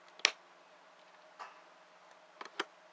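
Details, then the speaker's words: Horizon motorhome Truma hot water heater, switched on with water pump and heater fuses on and set to 60 or 70 degrees: a few crisp igniter clicks. This is normal and means the heater has lit. "will hear the hot water system click. This means it is lit."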